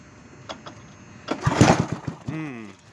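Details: Yardman Snowbird S.261 snowblower engine in cold weather, on choke: a few crank pulses, then it catches with a quick burst of firing and settles toward a rough choked idle.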